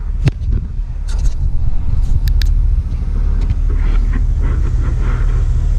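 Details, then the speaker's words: 1969 GMC C10 shortbox stepside, 350 V8 said to have a small RV cam, started cold after long storage with a new battery: a deep, even V8 rumble with a steady beat and no knocks or misses; a healthy cold idle with good oil pressure. "So I'll set the tripod up, give it a start, let you hear what it sounds like. Make sure you're straight. Doesn't sound too bad."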